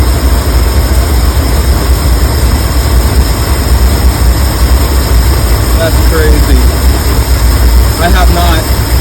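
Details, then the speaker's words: 1983–84 Ford E350 V8 with carburetor, first run after fixing a pinholed fuel line, fuel still leaking from the tank: heavy low rumble at idle, slightly uneven and lumpy; rough idle, cause not yet found. "yeah it doesn't sound bad either got a rough idle have to figure that out later"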